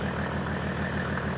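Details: Mercedes OM606 diesel on test with calibrated injector pump, after a stuck injector misfire was cleared with full fuel and throttle: regular even clatter at steady idle, no skipped beats, all cylinders firing cleanly.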